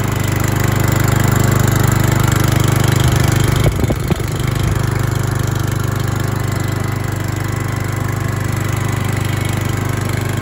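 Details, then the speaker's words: Stihl GH 370 S four-stroke garden shredder at its first start, pull-started with no primer pump. It idles at 2,400 rpm (3,000 rpm under load) with a steady, even drone, one brief clatter, then runs smoothly; a healthy engine. "motorul în în gol are 2.400 de de turații pe minut iar în sarcina o să aibă 3.000 de turații pe minut"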